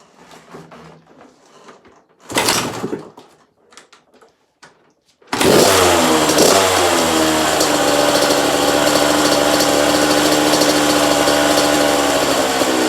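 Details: 1985 Kawasaki KX125 125cc two-stroke motocross bike, in neutral: after a kick start it catches and holds a crisp, steady, rapid idle with an even beat; motor sounds sweet, normal idle.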